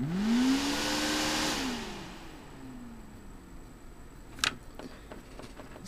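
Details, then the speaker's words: AVC hydraulic-bearing CPU cooler fan after a few drops of 3-in-One oil in the bearing: spins up to a smooth rising whir and coasts down cleanly with no rattle. Healthy bearing after repair. "put a couple of drops in there let it get selling there really good let's run the fan no more rattling"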